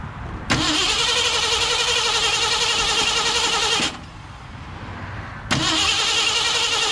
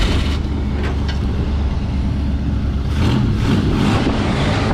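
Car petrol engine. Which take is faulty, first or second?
first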